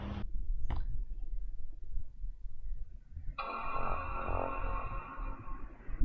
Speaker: so yeah that uh that certainly sounded like it was very muffled it sounds like something is against the speaker cones